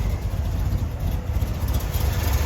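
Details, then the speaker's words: 1971 Corvette, rebuilt numbers-matching V8 with new-looking headers, at low idle, heard at the engine bay. Low, lumpy but even burble with no misses or ticks; smooth and finely tuned. "The car is as smooth and as finely tuned as can be."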